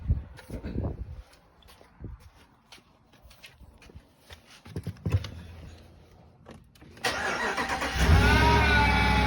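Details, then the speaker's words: 2020 Ram 5.7 e-Torque after some handling knocks: the engine starts and a steady high whine rides over the idle, turbo-like and present whenever accelerating, from a worn idler pulley bearing. "Kind of whiny, and every time I accelerate. Almost sounds like I got a damn turbo on the thing."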